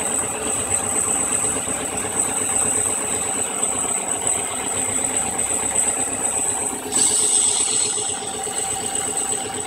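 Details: Subaru EJ22 petrol engine idling rough and stumbling for weeks; cause was a bad connection at the MAF sensor, since pressing on top of the MAF housing restored a smooth idle. Fixed by fitting a junkyard replacement MAF.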